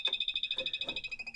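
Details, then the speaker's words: Pop-up camper Elixir EXL-30 power converter: thin high chirp about twelve times a second in quiet space, persists with fuses checked good and any fuse pulled; failing converter, to be replaced with WFCO WF-8735-P. "And also, as you might be able to tell, the chirping of the converter doesn't stop if I pull a particular fuse, hence why I think our converter is going."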